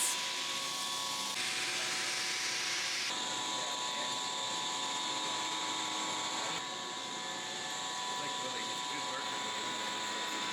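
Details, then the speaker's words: Hydraulic gold cup pump on test stand after rotation change and replacement of galled rocker cam: steady high-pitched whine with several fixed tones; noise still noticeable but went away at 1800 RPM, exact cause still not pinpointed, pump judged to operate fine. "The pump ran as it should. The sound was still noticeable but went away at 1800 RPM."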